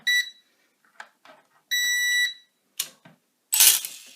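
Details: Syma X13 quadcopter fitted with a swapped-in Eachine H7 board, powered by plugging in the battery: two clear high-pitched beeps, a quick one then a longer half-second tone, as it powers up and binds to its transmitter normally.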